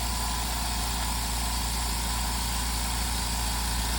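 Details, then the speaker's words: New California Air Tools 4710SQ Quiet Flow dual-piston compressor with a 4.7-gallon steel tank, filling after first plug-in: a steady, soft, even hum with a light fast pulse and no knocks or rattles, very quiet with low vibration; normal running. "It's really, really quiet. It has very, very low vibrations."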